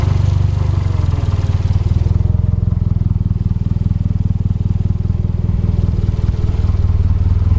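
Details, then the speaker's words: Toyota MR2 with a Gen 4 3SGTE swap, just after changing the spark plugs and refitting the coil packs: deep, steady exhaust pulse with no misses or ticking. Normal running. "Well, it's a good sign, it's running. All right, sounds good."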